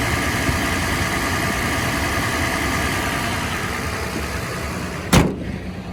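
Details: Toyota 4Runner 4.0 engine, cold, revved: dry, busy rattle that only occurs when cold and speeds up with revs, sharp knock near the end; owner suspects piston slap, cause not confirmed.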